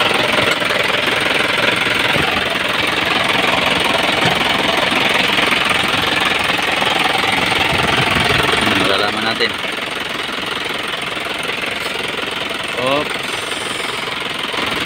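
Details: Isuzu 4HG1 turbo diesel, no intercooler, warmed up about half an hour to normal temperature: regular clatter about 160 a minute, even, with no puffing. No blowby. Normal diesel idle.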